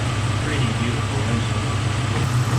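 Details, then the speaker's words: Jeep Cherokee XJ 4.0 straight-six, freshly installed reman engine, timing set with a vacuum gauge: steady, low, even idle with no ticks, knocks or odd sounds; healthy normal idle. "It sounds so beautiful. No ticks, no knocks, no weird sounds."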